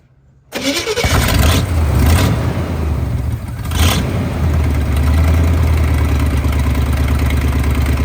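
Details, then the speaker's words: 1974 Chevy C20 V8 after sitting five years in a scrap yard, started on a marine battery: cranks, catches and settles into a lumpy, loping idle with brief stumbles; owner suspects spark plug or wire issues; 30 psi oil pressure, charging. "got some spark plug issues, maybe some wire issues, but she runs good. I mean, at least it's running, right?"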